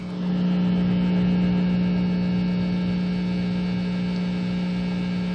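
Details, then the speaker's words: Precision Bass with the two pots ungrounded from each other (foil-backed pickguard removed, no ground wire) through an amp under fluorescent lights: loud, constant low hum; soldering a ground wire between the pots fixes it. "so it is there is a hum produced because these two pots are not grounded together that's what you get when you touch a volume pot that's not grounded together"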